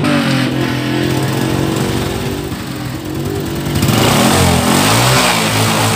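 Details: Honda Supra 125/Karisma single started after a clutch plate replacement, with exhaust refitted and oil refilled; it settles into a steady, even putter with one brief blip near four seconds, running smooth and healthy.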